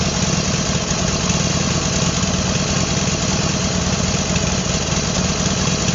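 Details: A motorcycle twin idles smoothly and evenly with a steady beat and no knocking or slapping. This is after fitting a brand-new matched pair of pistons and cylinders, and the noise is gone, so it was presumably extreme piston slap; not yet run in.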